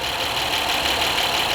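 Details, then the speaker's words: 2010 Honda Accord 3.5 at idle after spark plug and ignition coil replacement: an even, steady idle with a smooth hiss and no stumble; the misfire is gone and it sounds normal. "Whatever, it sounds pretty normal."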